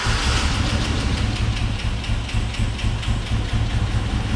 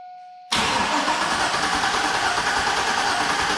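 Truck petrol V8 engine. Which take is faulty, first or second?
first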